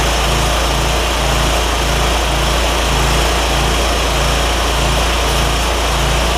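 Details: John Deere ZTrak Z915E Kohler V-twin, sat 2 years, jump-started with carb spray: fires and holds an even, steady beat, nothing knocking; oak leaves hitting the cooling fan. Running normally.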